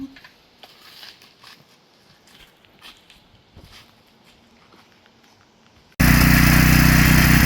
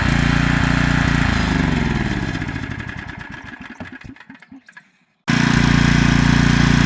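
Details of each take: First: Heavily used Generac 3500XL generator, sat three years in a shed, after new carburetor gaskets and pulls on full choke: after a quiet spell the engine catches and settles into a steady, even drone without surging; normal running. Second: Generac 3500XL generator, long stored, choke off, burning something off. It fires for a couple of seconds, then slows with uneven puffs and dies. Owner first wondered about fuel starvation.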